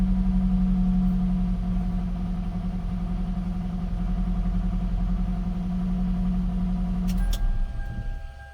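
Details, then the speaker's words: Gen 7 Toyota Celica after replacing the fuel pump, filter, pressure regulator and sock: steady, even idle, smooth low hum with faint pump whine, best idle in a while; owner thinks it is relearning fuel trims. Normal idle. "It's idling. This is the best idle I've had in a while."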